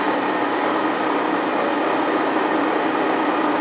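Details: Transfer box with 1.4 transfer gears on a test bench, about 1945 rpm: steady gear whirr and hum at constant speed, no knocks or grinding; normal tooth noise, new support bearing working well.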